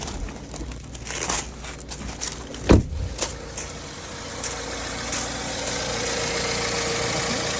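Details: BMW N43 engine, not started in a while: revs up at start, then drops and settles into a steady, even idle with light injector ticking and no stumble or misfire. Normal healthy idle.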